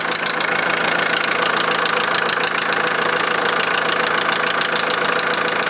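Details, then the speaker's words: 2001 VW Transporter T4 1.9 TD diesel at idle: steady, evenly spaced hard knock about three per second over diesel clatter; first thought to be in the head, teardown found big end bearing surfaces almost gone. "the big end journals are pretty good very very clean actually um considering that bearing surface is almost gone on the big ends themselves"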